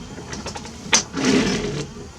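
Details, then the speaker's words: 1982 Triumph TR7 V8 4.6 L convertible windscreen wipers: slow repeated swishing sweeps with a scraping catch at each end; blades noisy and overtravelling, longer blade hanging over the screen edge. "They're really noisy. And I think this one, you can hear that is catching. It's going over too far down there."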